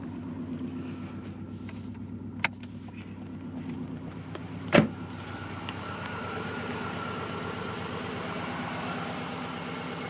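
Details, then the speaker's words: 1995 Subaru Legacy, cold start after sitting overnight, push-button start, no check engine lights: the flat-four idles with a very low, even exhaust rumble and steady pulse, no knocks or misfires. A normal idle. "you can hear the exhaust a little bit it may not be that good in the video but it's a very low Rumble"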